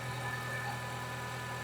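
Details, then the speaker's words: Renault Clio 172/182 F4R engine idling after fitting replacement non-genuine coil packs: mostly steady with faint unevenness, about 85% right; slight residual misfire at idle, owner suspects a faulty injector. "It's got a little bit of a Well, it's not even a miss. It's about 85% where it needs to be."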